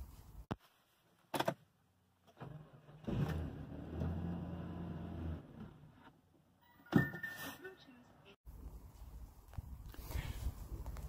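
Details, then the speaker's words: 2005 Hyundai Santa Fe 2.7 V6, intermittent starting problem: engine cranks, catches, runs a few seconds, stalls and dies, then starts fine on the next try. Start-then-stall; owner chasing fuel system, starting with in-tank fuel filter. "as you can see it starts stalls and dies again then it starts up fine next time around normally"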